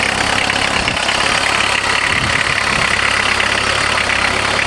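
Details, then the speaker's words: VW Jetta diesel-converted van with a mechanical injector pump, high kilometers, just started after hand-priming the pump; cold idle with loud even diesel clatter at about four beats a second, no misfire; healthy but noisy while cold. "perfect they sure are noisy when you're"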